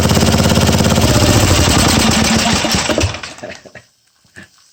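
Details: Old Tecumseh 12 HP XL engine revived after a mouse nest and a replacement carburetor bowl: strong, even single-cylinder thumping at a steady fast idle for about three seconds, then it dies away; it runs cleanly.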